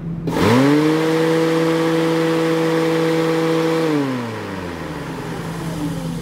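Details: 1991 VW Vanagon: the radiator fan kicked on at high speed and would not stop. Plugging in the radiator thermal switch makes the fan spin up to a steady whir; unplugging stops it. A faulty thermal switch is suspected.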